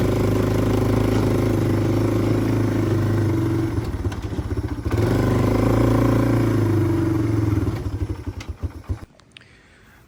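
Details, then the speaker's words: 1997 Yamaha Timberwolf 250 single-cylinder ATV on its first ride after revival: uneven stumbling beat with crackles and pops off throttle, spitting and sputtering under load. Owner suspects it runs rich and may change a carburetor jet. Sputtering and popping under load. "guys, after riding it, I don't know if you could tell, um, but it's spitting and sputtering a lot. It didn't sound great. Um, I think it's running a little rich."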